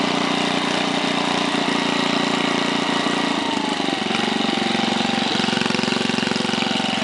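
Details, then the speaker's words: 1968 Briggs & Stratton 7hp 275cc horizontal single-cylinder engine, all original, started cold on choke at 3/4 throttle: smooth regular putter, speed shifts cleanly midway without stumbling; starts up and runs smooth with plenty of torque and power. "this thing starts up and runs smooth as pie it's got plenty of torque plenty of power"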